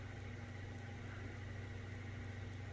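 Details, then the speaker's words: Old ceiling fan after repair of loud, crunchy bearings: steady low hum with even, smooth running and no crunching or grinding; much quieter than before, fan sounds healthy. "Well, I would say that was successful. It was pretty damn loud before, and now it's not too shabby tall."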